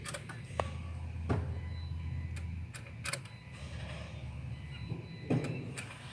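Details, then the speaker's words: Peugeot 207 with intermittent anti-pollution fault: EGR valve active test via scan tool gives sharp separate clicks over a quiet idle, showing power and ground reach the valve. "it is clicking that means there's um a power of ground going to it"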